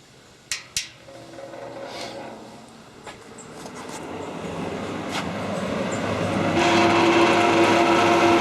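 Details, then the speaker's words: Vintage two-speed electric fan, possibly model 1250, with its original cord: clicks, then a rising hum and a steady rushing drone that gets excessively loud on high speed but is tolerable on low. Excess fan motor noise. "it's excessively noisy on the high speed but it's tolerable here I could imagine somebody wouldn't want to listen to that"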